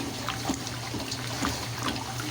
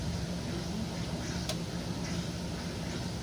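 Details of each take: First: 1957 solid-tub Speed Queen washer keeps trickling water into the tub after the timed fill has elapsed, a quirk of the machine; owners guess it may make up for water splashed out early on, but that is not confirmed. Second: 1957 solid-tub Speed Queen washer in spin: a steady drone from the spinning tub and the pump chugging as it spins the water out, running normally, though the owner says the fluid drive needs a little more oil.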